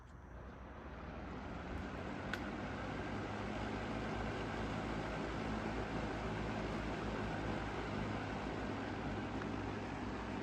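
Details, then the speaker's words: Lakewood 225 Premium Select box fan, likely early 2000s with a bigger motor and thermostat, heard on low speed; soft steady whoosh building then holding even, no rattles or ticking; quiet yet powerful, normal running. "not too loud, but it's also pretty powerful. I'd say on the low speed is as powerful, or if a little bit more powerful than the Cool Colors box fan. But it's decently quiet."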